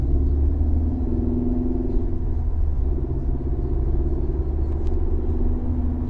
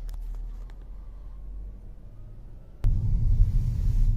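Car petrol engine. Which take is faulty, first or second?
first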